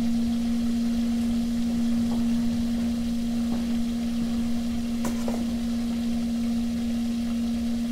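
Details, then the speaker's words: DIY heater in Volkswagen Golf Citystromer conversion: auxiliary-heater circulation pump feeding a 2014 VW e-up 5 kW 350 V heat exchanger, first fill; steady even single-pitch hum without gurgle or rattle; running smoothly with no air left. "so now you can hear that we don't have any air left in the pump there it's completely quiet"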